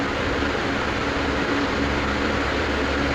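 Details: Centrix PF20 stand fan after repair of slow start-up and humming: steady, even rush of air with a faint constant hum, no rattles or scraping, running smoothly at full speed on high setting.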